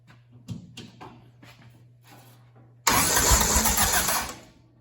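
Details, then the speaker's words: Willys CJ3B "Patches" with a freshly swapped F-head engine, first start-up with alternator disconnected: a few cranking turns, then the engine catches with a loud, raspy, hissing roar underneath; owner suspects an exhaust leak. "see if I can find that exhaust Le cuz it's kind of loud underneath"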